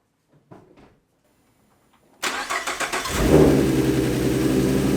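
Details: 2014 Ford Mustang 3.7L V6 start after replacing the failed old-design water pump (knocking/grinding pulley noise) and refilling coolant: starter cranks, engine catches and settles into a smooth even idle with no whine, noise gone.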